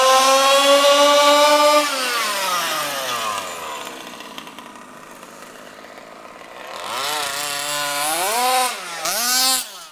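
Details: HPI Baja SS rebuilt from an eBay junker, Zenoah G320 two-stroke with V2 Dominator pipe on 91-octane ethanol-free fuel with Bel-ray oil at 32:1, during high-speed needle tuning: high scream falls away, then rises and dips with throttle blips; slightly lean, later sorted.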